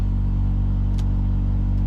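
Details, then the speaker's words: Truma Aventa Comfort roof-mounted caravan air conditioner in 30–35°C heat in the South of France, compressor on, fans on speed two: steady deep compressor hum with an even fan drone and no knocks or rattles; normal running. "another thing is the noise now it's a compressor on your roof so it's not going to be quite understand this and at the moment you can hear it hum in there"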